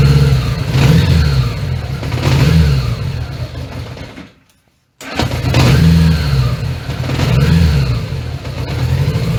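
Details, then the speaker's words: 1980 Honda Gold Wing GL1100 with overhauled carbs, after tightening sync-screw lock nuts upset the sync: engine surges up and down, dies midway, restarts and hunts, won't hold idle. "doesn't seem to want to idle."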